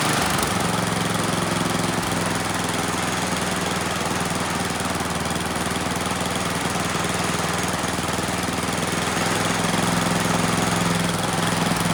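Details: Neglected Troy-Bilt Storm 10030 snowblower with Tecumseh HMSK105 single-cylinder, found with no spark and a suspect carburetor, runs on its own after starting fluid; steady putter holding speed without stumbling, choke off, runs pretty well.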